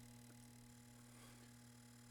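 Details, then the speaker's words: CinemaTronics arcade monitor chassis, corroded and dead on arrival, powered up on the bench after repair: a steady low hum with faint fine buzzing chatter and no pops or bangs; the deflection chatters normally and no fuses blow. "fuses seem to be okay yeah it sounds good definitely hear it chattering no fuse blowage nice"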